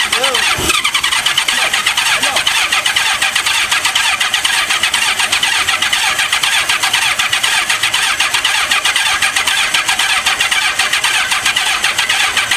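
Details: 1985 Honda Gold Wing 1200, sitting 5 years: starter grinds on steadily at about two beats a second, engine never catching; no spark found, owner unsure the electric fuel pumps work; cranks without starting.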